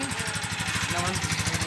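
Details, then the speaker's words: Honda TMX155 motorcycle with 175cc conversion, after timing gear replacement: quick, even single-cylinder putter, steady beat, no knocks; smoother than new. Normal idle. "Parang bagong labas sa Casa o mas smooth pa sa bagong labas sa Casa"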